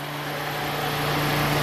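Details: 1997 Toyota Celica convertible, 232k miles, key on, engine off; steady low electric fan whir, radiator fan number one always on with key on, relay suspected tampered with; cooling fan runs constantly.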